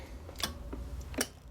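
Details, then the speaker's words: JB 50 (JB75A) vintage tube modulator, about 10 W drive for 45-50 W out, after its transmit/receive relay was fixed with modern components: two crisp clicks as it keys, the relay pulling in and releasing cleanly and reliably. Normal. "you know how sweet that sound is to hear that thing clicking and doing it reliably"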